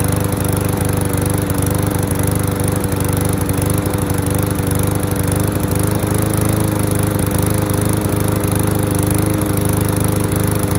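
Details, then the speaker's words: Curbside MTD mower, found with oatmeal-like gas, now running at a steady even beat of about three and a half pulses a second with no surging or sputtering; sounds better, oil change next. "that sounds better awesome"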